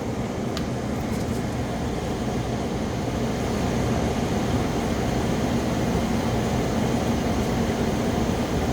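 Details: 8000 BTU Frigidaire window air conditioner, 2016, after a deep clean of clogged fins, compressor running: steady, even whoosh of fan air over a low compressor hum, no rattles or squeals; normal.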